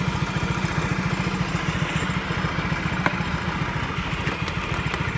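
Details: Honda Vario Techno scooter after vacuum carburetor service; small engine putters along with a steady, even beat, no misfires, knocks or rattles, sounding healthy and back to normal.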